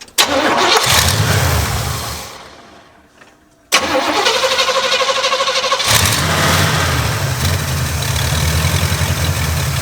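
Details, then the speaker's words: Carbureted Quadrajet Rocket 350 V8 in an Oldsmobile Cutlass, with one vacuum port at the back of the carburetor blocked off by finger: cranks, catches and settles into a fast, uneven idle; vacuum leaks remain elsewhere. "that that's a man you got a lot of leaks here that was uh that was blocking that off completely but we're still we still got a vacuum"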